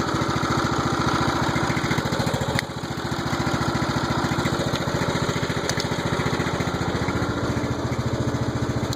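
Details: Old Troy-Bilt mower single-cylinder engine, first run after rebuild with valves adjusted: steady, even idle around three and a half beats a second, no knocks or misses; runs smooth and healthy.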